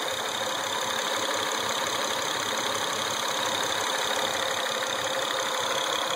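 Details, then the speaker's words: Acura TL at steady idle with an uneven ticking knock about twice a second over the engine; something sounds wrong, cause not yet pinned down. "Alright, so you can see there's something doesn't sound right."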